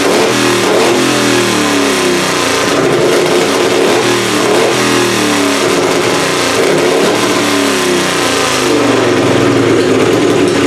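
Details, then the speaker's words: Plan B pulling engine running on methanol, at its first fire-up of the season after an annealed head gasket and a timing adjustment. Strong, even firing climbs and settles through repeated revs with no misses or knocks; the head gasket is holding, but the carburetor still needs tweaking. Normal running. "we got Plan B fired up sounds pretty good head gasket seems like it's all still sealed up uh timing sounds good now that I adjusted it"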